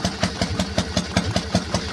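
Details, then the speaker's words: Harley-Davidson 1200 Panhead V-twin, twin plugs, single-fire ignition firing both pots together, belt drive, warming up: even loping idle with crisp firing pulses about five a second and light valve ticking, a healthy, steady real Harley sound. "hope you're enjoying this vince this is what a real harley sounds like"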